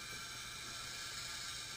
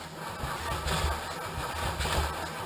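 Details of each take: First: Engine leak-down test showing about 50% leakage: a steady hiss of air pours out of the dipstick hole, indicating bad piston rings or worn cylinder walls. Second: Engine cranked on the starter during a dry and wet compression test, spark plugs out: an uneven, lumpy beat as each cylinder comes up against compression, normal cranking without firing.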